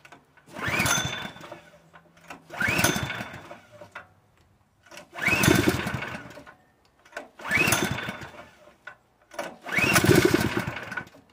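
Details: Honda GX160 air compressor engine on propane revs up then sags almost to a stop about every two seconds, hunting when the mixture is adjusted; owner suspects the engine is worn out, with weak valve springs.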